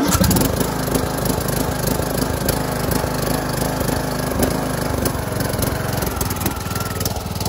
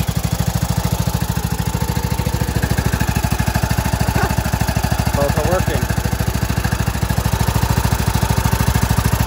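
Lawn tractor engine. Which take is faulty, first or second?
first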